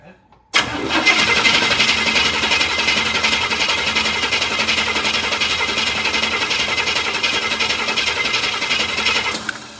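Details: 1966 Cadillac Eldorado, carburetor just rebuilt, running without filter in the fuel bowl: starter cranks steadily around three beats a second for nine seconds with no firing; tank out of fuel, fuel pump later found not pumping.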